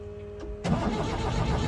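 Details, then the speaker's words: 1975 Ford Transit MK1 diesel in not-so-cold temperatures after glow-plug and grid-heater attempts; starter bites and engine churns over evenly without firing; cranks but won't start, owner suspects glow plugs, cause unconfirmed. "yeah you're going to say that's going to be a big no on it's starting try it one last time"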